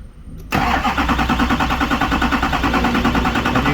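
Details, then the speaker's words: Duramax diesel, crank-no-start test with a Ditex i-Tester: a steady, even cranking chug that never fires. Fuel rail pressure during cranking reaches over 30 to 40 MPa, which should be enough, so injector control is suspected next; not confirmed. "what that tells me is the fuel rail has enough pressure to start and run but it we must not have injector control so that's where we're going to go next"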